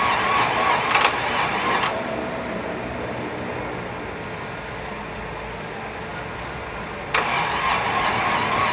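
A small diesel churns over for several seconds with a steady cranking rhythm before it catches, so this engine is hard to start.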